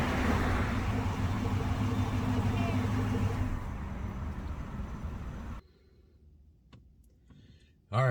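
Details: Dodge Magnum with a newly remanufactured 345ci Hemi V8, its first (inaugural) cold start: a deep, even rumble revving cleanly with no knocks or ticks, then it shuts off. Healthy fresh engine.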